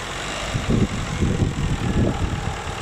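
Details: Holden Astra 2000 hard start: uneven low chugging pulses about three per second while cranking without catching; battery tested at 80% reserve capacity, crankshaft position sensor judged faulty from oscilloscope waveform, weak battery possibly contributing.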